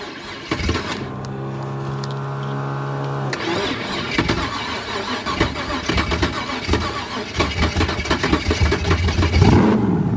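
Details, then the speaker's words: 1923 T-Bucket kit car, V8, stalled after a short drive: starter whirs a couple of seconds, it catches and settles into a lumpy, uneven idle; owner suspects idle set too low, or possibly a failing battery. "I don't understand. I don't understand. Maybe the idle's too low."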